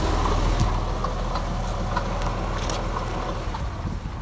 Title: 2001 Boxster S 986 engine rattle noise - failing water pump